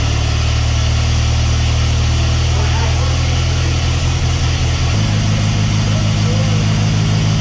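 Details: Mercruiser 140 boat engine swapped into an S10, charging at 14 volts: steady warm idle abruptly steps up to higher speed about five seconds in without throttle; warm idle surge, cause not yet found (some fuel pools in intake).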